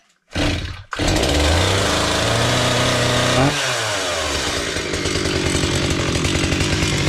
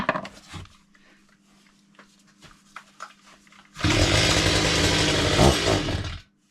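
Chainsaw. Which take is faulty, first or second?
second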